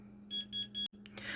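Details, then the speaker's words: Tuya-app robot vacuum giving three quick high-pitched beeps over a low steady hum, repeating every few seconds to minutes; an alert with no clear cause, fixed via the Tuya app. "Amazing robot cleaner that beeps every 3 seconds. Well, this is what it does."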